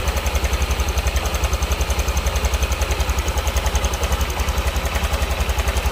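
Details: Honda Vario scooter at idle: coarse metallic rattle on each beat, about 160 a minute; worn cam chain tensioner letting the chain slap, to be replaced without engine teardown.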